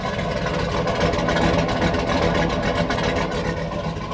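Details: GMC Denali V8 with BTR Stage 2 truck cam, first start after drivetrain reinstall, VVT and rear O2 sensors removed (codes set): deep, lumpy idle loping two to three times a second, otherwise steady and even; healthy idle with performance cam lope.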